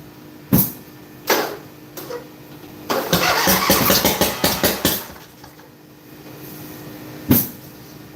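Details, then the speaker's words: Craftsman LTX1000 riding mower, first start after fixing the fuel line: sharp cranking bursts, then a two-second uneven run with loud irregular pops before dying; owner suspects a blown head gasket or bad exhaust leak on one side, unconfirmed. "I do believe we got a blown head gasket. That sounded like a blown head gasket to me. I think we got a blown head gasket."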